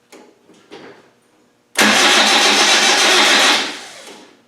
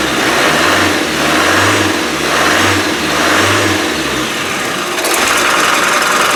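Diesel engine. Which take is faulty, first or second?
first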